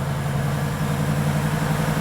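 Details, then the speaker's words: Audi RS7 bought as non-runner, rebuilt engine just refitted, oil topped up, coolant filled, running on boost pack with a weak battery: deep, steady idle with an even low rumble and no knocks or misses; normal idle. "She's running. I don't know if it's going to cut out when that boost pack stops working."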